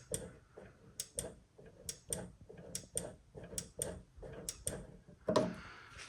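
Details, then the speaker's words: 2012 Skoda Octavia with the alarm going off randomly and the car locking itself after the tailgate was opened (a boot switch circuit fault was later found and fixed). Closing the tailgate lock gives crisp clicks about once a second, then a clunk: the micro switch is working normally. "the sensor for close all is this one here right as you close it you can probably hear a micro switch"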